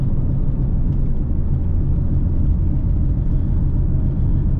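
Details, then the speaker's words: 2005 Pontiac GTO while driving: deep steady roar and drone with vibration through the car, quieter when turning left; bad wheel bearing. "see it gets quiet when i turn that's the wheel bearing see if I go left right if I turn left it gets quiet oh my that's horrible"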